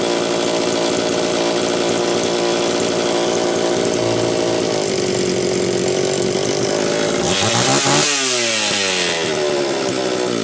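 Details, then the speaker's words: Homelite Super XL-925 chainsaw, rebuilt with good compression, double governed (factory hole in the high-speed nozzle plus governor assembly): revved, the note turns blubbery and uneven as it loads up; still to be tuned in wood. "this is double governed it's got a hole that is Factory in the top of the high speed nozzle and it's got the governor assembly on the side so it's not going to sound that impressive revved because it's going to load up"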